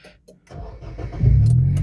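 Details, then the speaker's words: Nissan Grand Livina XV 1.5 automatic (2008/2010) start: short crank, then a smooth, quiet idle with no odd noises. Normal start and idle. "Nah, untuk mesinnya itu, walah kedengaran masih halus, ya, Lur. Masih halus, masih bagus, Lur."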